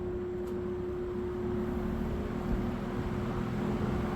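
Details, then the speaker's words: 1970s Electrohome 652-2C box fan, needing oil, running steadily at medium speed with strong low hum and even rushing breeze; runs well. "You can kind of hear the driving noise. But yeah, she's a good runner, that's for sure."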